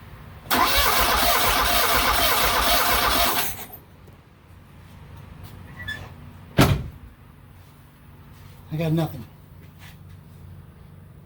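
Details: 1979 Fiat Spider 124 that would not start: starter spins the engine evenly for about three seconds with no firing; cause found to be a failed magnetic pickup inside the distributor, which was replaced.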